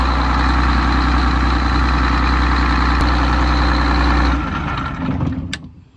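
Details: MCI MC9 bus diesel after fitting a new gear-reduction starter: smooth, even idle with a steady beat for four seconds, then winds down quietly; normal idle.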